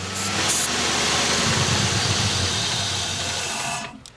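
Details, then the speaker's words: Car sitting for years, first start, drift car project: rough uneven idle with loose irregular pulse and hiss, dying after a few seconds, running only on starting fluid; owner suspects a bad fuel pump, fuel pressure test pending. "The car is running. This is awesome. So right now it is literally running on the starter fluid."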